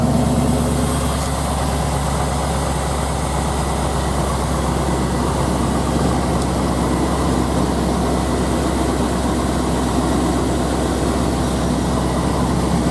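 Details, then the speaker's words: 1996 GMC Yukon 2wd 5.7L Vortec V8 with long-tube headers and dual exhaust, idling just after lower intake gasket replacement: steady, even low rumble, no ticks, knocks or misses; no leak, engine healthy. "but anyway it hasn't been leaking not gonna wood and seems to be driving fine and I just started up let you look at it"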